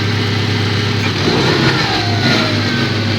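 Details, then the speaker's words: Subaru, engine already warm, after replacing a skewed, improperly seated new spark plug: smooth even idle then clean rev test with no shudder or shaking; misfire fixed. "Yep, that sounds a lot more normal. I think we've fixed our misfiring problem."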